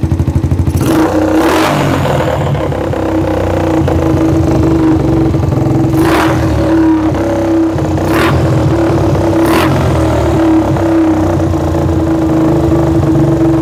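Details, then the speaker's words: Yamaha Jupiter MX that would not start, after replacing the vacuum part: engine runs, idles steadily and picks up cleanly on quick throttle blips, then settles to an even idle. "Oke, Teman-temanku semua. E motornya bisa hidup ya, Teman-teman. Motornya sudah bisa hidup."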